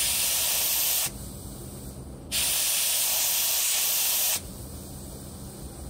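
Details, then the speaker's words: 1993–1995 VW EuroVan with a fuel smell complaint, engine idling after drying the area: sharp steady hiss in bursts over a quiet idle as pressurised fuel sprays from a cracked fuel hose; hose repaired. "93 and 95 euro van complained his fuel smell something's definitely leaking here so I gonna dry it all off and then start it up see what happens oops sorry that was a quick find notice this hose here this one"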